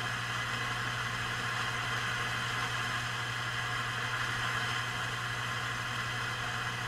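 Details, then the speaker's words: Heathkit T-3 signal tracer on the low gain setting. Steady loud hiss over a constant low hum with faint crackling; a noisy component in the amplifier is suspected but not confirmed. "And I can also hear a little bit of crackling and hissing in there, so it sounds like there might be a noisy component in"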